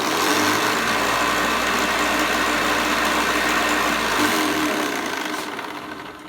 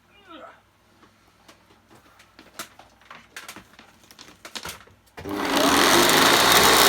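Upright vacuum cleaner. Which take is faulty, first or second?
second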